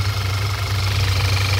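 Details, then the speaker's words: A 2014 Audi A4 2.0 turbo idles with a steady airy hiss over a low, slightly uneven rumble. The PCV valve is stuck open, sucking air and causing a vacuum leak. Codes: system too lean at idle (P0171) and a reduced oil pressure code; the engine misfires and consumes oil. "that's causing the whole problem and also you can hear right away sucking air that's a really common problem on this course"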